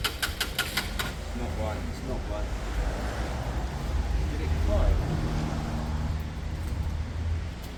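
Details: Lexmoto Michigan motorcycle on a used but good battery, struggling to start. Low, rhythmic starter churning at three to four beats a second that never catches. It cranks but won't start; the owner plans to check the spark plug's spark and suspects the fuel pump.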